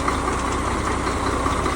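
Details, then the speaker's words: KamAZ NEO truck diesel at idle running unevenly with lumpy stumbling beat, one cylinder not working, plus a foreign knock. "не работает один цилиндр потраивает и посторонний стук."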